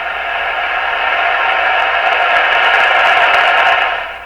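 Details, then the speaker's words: Stromberg Carlson Model 515 during intermediate-stage alignment to 455 kHz: steady loud hiss with faint voices swelling and fading; the receiver is oddly oversensitive at the very end of the shortwave band. "Very odd. It becomes very, seems to be very, very sensitive right at the very end of the band."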